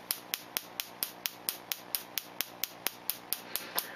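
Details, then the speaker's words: New remanufactured ignition coil on a Solénotest coil tester spark gap: crisp, evenly spaced snapping clicks about two a second, LED lighting, no misses or weak sparks; coil firing perfectly. "Vous entendez le clac-clac, vous voyez la LED, cette bobine fonctionne parfaitement."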